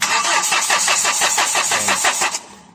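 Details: Hyundai H100 CRDI diesel with low power, now won't start, fuel return pulled to check injectors: quick even cranking at four to five beats per second never catches; busted leaking injector causing hard starting.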